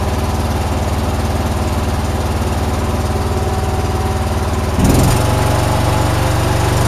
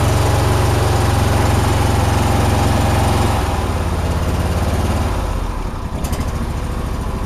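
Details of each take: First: John Deere with 472 hours, after shop replaced fouled plugs and a dirty fuel filter: small single-cylinder engine at a steady, even beat, picking up speed cleanly and holding. Owner wonders if valves need adjusting. Runs normally. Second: John Deere twin-cylinder mower, 472 hours, just back from the shop which said it runs fine: uneven, lumpy idle beat about 2.5 per second, maybe slightly better but not perfect; owner suspects loose valves needing adjustment, unconfirmed; rough running.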